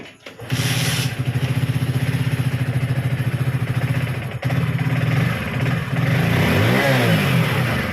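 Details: Hero HF Deluxe BS6 fuel-injected bike after fuel pump replacement, weak battery: catches at once into an even single-cylinder thump with a smooth throttle blip; normal start and idle.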